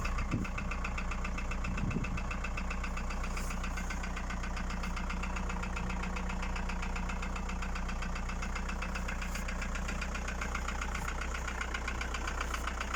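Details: VW Passat B4 1.9 TD (AAZ) diesel at idle: a regular tapping knock, about two or three a second, over a low rumble. Piston knock is suspected.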